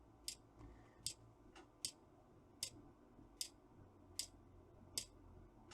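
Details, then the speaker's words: Trojan treadmill control board DCMD67 on the bench: crisp, evenly spaced relay clicks about 77 a minute. The supply voltage is dropping out, so the microcontroller keeps restarting and pulling the relay in and out; relay chattering from the supply dropout. "The microcontroller is not starting up because we saw that the voltage is just falling out. So the microcontroller is trying to start, bring the relay in, the microcontroller stops, brings the relay out."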